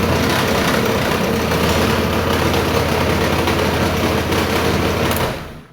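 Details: Honda Vario 150 Smart Key after repair of the starter-button wire to the SCU; catches at once and settles into an even, quick idle with no misses before shutting off, starting and idling normally.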